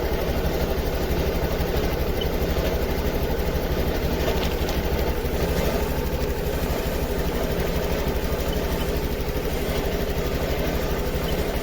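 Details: Honda Activa 6G scooter with missing and hesitation complaint, just started for scanner live data check: slightly uneven, stumbling idle of about one and a half pulses per second; miss traced to a faulty oxygen sensor.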